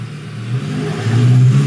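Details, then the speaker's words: 2014 Chevrolet Malibu with intermittent stalling, idle lean condition, bad catalytic converter and valve cover gasket leaking into the coil area: brake-torqued engine drones with a stumble, a bad misfire related to secondary ignition. "a misfire right there [Music] definitely secondary ignition related hear that [Music] that's a bad miss"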